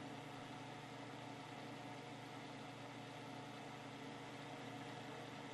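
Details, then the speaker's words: 1970s Hoover Knapp-Monarch automatic fin electric heater, fan on high: steady loud whirring drone, even hum, no cycling; fan makes quite a racket, cause not pinned down. "so a is still pretty loud for the fan at least that's on low to too hi it makes quite a racket"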